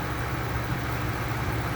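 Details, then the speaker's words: 1999 Ford F-250 Super Duty V10 at 268,788 miles, idling after a blown #10 spark plug and a full plug change to Bosch Platinum +2 4304. A smooth, steady low idle with no misfire stumble or lifter tap. "Well, she's purring like a kitten, running smooth, no lift or tap, sounds good."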